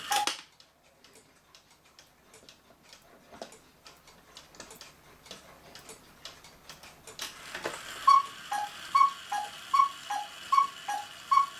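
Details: 1940 Lux cuckoo clock with a one-day double-weight movement, reassembled, described as almost brand new: a crisp, even, unhurried tick-tock in a quiet room; it is running normally.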